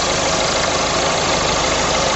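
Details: Car idling with a listening-bar extension held on the power steering pump: steady even idle with no grinding or rumble from the pump; bearing sounds healthy.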